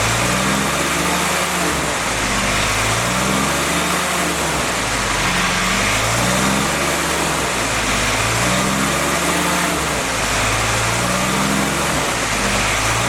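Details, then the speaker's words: Freshly rebuilt CJ5 snowblower Jeep F-head four-cylinder at fast idle during break-in, original cam with break-in lube: revs swinging up and down smoothly, no knock or tick; normal running during break-in. "Okay guys, I think you see what's happening here. We're just fluctuating the RPMs."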